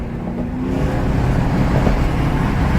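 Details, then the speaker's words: Ford Crown Victoria Police Interceptor driven with check engine light on and transmission fluid lost: heavy low drone under load, rough and uneven, misfiring badly while accelerating. "so for hopefully about to make it off the island and this thing is running like [ __ ] misfiring"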